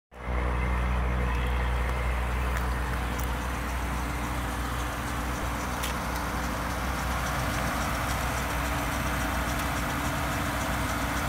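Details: Volvo idling from a cold start with a rough, gritty grinding texture over a steady low engine hum, coming from the right front wheel well.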